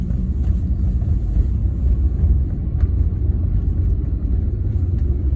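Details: BMW E36 with 220k miles, driving; heavy constant low droning rumble under the car, no squeal or clicks, from a bad driveshaft center support bearing, noise gone after replacement.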